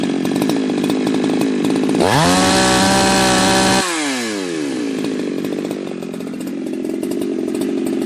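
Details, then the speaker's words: Ported chainsaw at full throttle, air filter off, on a cool, humid day, with the tach reading about 11,000 rpm. It screams high but blubbers and wavers instead of holding a crisp note. The high-speed mixture is rich; the plan is to lean the high screw about half a turn. "I mean, that sounded rich to me, and it was rich."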